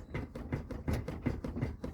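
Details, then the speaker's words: Chevrolet Corsa Classic front-end noise: dull, irregular knocks as the front is rocked by hand; the cause is the loose front bumper, with loose clips and a loose screw, not the stabilizer links. "é o para-choque que tá passou tu tem que dar uma coxada nele nele nele ali com certeza as bruxinha tá tudo solta"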